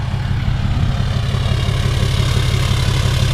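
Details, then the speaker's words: 2018 Cummins 6.7 diesel after fuel filter change and priming: deep even clatter at steady idle, about three pulses a second, no misses or hunting; air purged, running normally. "sounds perfect it sounds normal as it should so honestly i think we got all the air out we got it primed and we're back in business"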